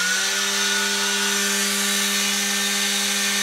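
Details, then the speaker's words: Prototype 2x72 belt sander with rubber-isolated motor mount and new axle spacer washer, running at about half to three-quarter speed: steady, even hum, clean unwavering tone, no knocks or rubbing, much quieter than before; normal running. "Very smooth. A lot quieter. Goes well. Loves the 3/4 speed."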